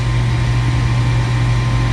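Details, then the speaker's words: Furnace showing error code 3, pressure switch stuck open, which keeps the inducer motor running; steady unbroken hum that never cycles off, now at noticeably higher rpm and smoother than the day before. "says pressure switch stuck open and that would cause that motor to continuously run i would tell you that motor is running totally different than yesterday"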